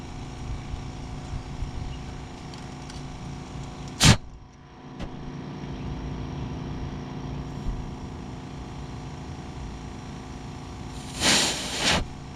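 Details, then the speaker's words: 2000 Jeep Cherokee 4.0L, low power after rebuild, leakdown test at 80 psi holding about 38: steady hiss of air escaping through the exhaust valve with sharp clicks; later found wrong, too-long lifters installed. "Clearly exhaust again."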